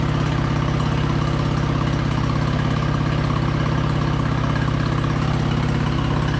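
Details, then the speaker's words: Craftsman LT2000 lawn tractor V-twin petrol engine, sat about a year, gravity-fed, choke about halfway, just above idle: steady even low thump with no misses or knocks, runs well; carb clean still planned. "honestly that thing sounds great we'll definitely have to do a uh carb clean on this"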